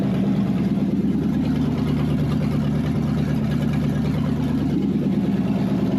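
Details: Wrecked 5.0 Mustang V8 bought as a non-runner, running on open headers after a missing engine ground was replaced; a steady, even low rumble at idle with no knocks or misses sounds healthy. Normal idle.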